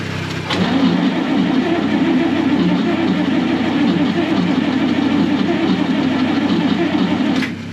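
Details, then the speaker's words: 1965 Clark Cortez motorhome Dodge V8, not run since valve stem seal replacement, distributor just reinstalled, battery previously flat: starter spins the engine steadily for about seven seconds but it never fires; crank no start. "ठीक है! मुझे उम्मीद नहीं थी कि यह पहली बार में चालू हो जाएगा।"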